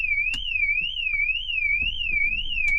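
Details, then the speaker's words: TD5 Land Rover Defender being checked for a parasitic battery drain, alarm armed with about 0.02 A draw: a loud high siren sweeping up and down about twice a second with sharp clicks, triggered by movement inside the cabin. "And there's the alarm. That's me moving in the"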